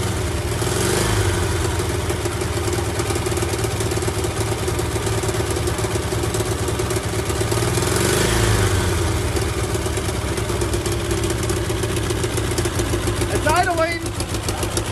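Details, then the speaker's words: 1985 VW Vanagon Westfalia weekender parked around 20 years, first start after starter fluid, now running on gasoline: steady, slightly lumpy idle with light mechanical clatter over a low drone; fuel pump wiring suspected of losing power. "all right crank it up that's running on gasoline"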